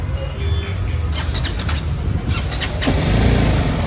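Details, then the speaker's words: BMW 310 GS after fitting replacement Amaron battery: short crank, then engine catches first try and rises into a steady idle; clean start. "भाई start हो गई है एक बार में, थोड़ी charge भी होती रहेगी।"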